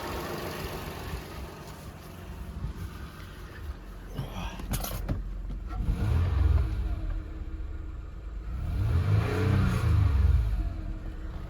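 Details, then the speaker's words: 2006 Toyota Highlander 3.3L just after water pump replacement: smooth idle swells into two clean rev-ups and falls back evenly, no knocks or squeals; engine running and firing well, healthy. "Sounds good, she's running good, she's firing good. Let's go run her up a little bit."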